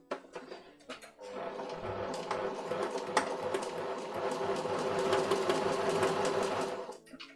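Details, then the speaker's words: Sewing machine at slow speed: slow, uneven needle clatter with an odd extra rattle. The noise goes away when sewing faster, and many skipped stitches followed. Unusual noise at slow sewing speed. "that weird noise again i don't trust this noise but if i sew faster it goes away it's kind of weird"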